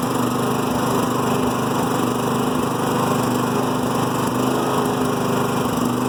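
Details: New Firman generator in Eco mode: small engine idles roughly, with irregular low thumps (misfire or slight backfire) about twice a second. This lessens out of Eco mode or with a load applied; the owner is unsure whether it is normal.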